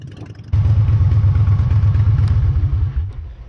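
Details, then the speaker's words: Harley-Davidson V-twin after replacing a bad engine temperature sensor (code P0118) that caused stalling once hot, on road test: deep loping rumble, even firing, no stumble or stall, then cuts off cleanly; running normally. "so far so good definitely cut out on me before last time"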